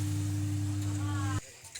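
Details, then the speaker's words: Home theater subwoofer: the same steady low hum with a fainter overtone persists after the board is removed. A capacitor has burst from high voltage, but the failed subwoofer amplifier IC is blamed and needs replacing. "पहले जो sound आ रहा था सबपर में वही sound आ रहा है इसको हम यहां से निकाल देते हैं निकालने पर सापर का साउंड ऐसा ही आ रहा है"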